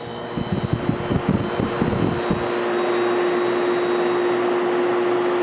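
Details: Whirlpool 6,000 BTU air conditioner after replacing a failing capacitor that made the compressor hesitate: brief rough churn settling within two seconds into a steady hum; compressor starts strongly and draws less current.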